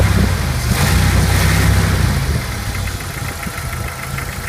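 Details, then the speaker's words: Jeep YJ 2.5L with the engine still a bit cool: a light, quick ticking at about four per second over a steady idle, attributed to flat or worn lifters; it comes and goes and usually disappears once warm. "Sound of flat lifters or worn out lifters. It comes and goes. Usually once the engine warms up, you don't hear it at all."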